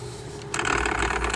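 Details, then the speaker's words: Secondhand Logitech MOMO force-feedback wheel on the original driver: quiet, then a dry ratcheting chatter as force feedback kicks in. Owner suspects the gears mesh poorly; it is less audible when held. Noisy, cause unconfirmed. "но шумный капец мне кажется что то не то будто шестеренка там подходит вот такой звук"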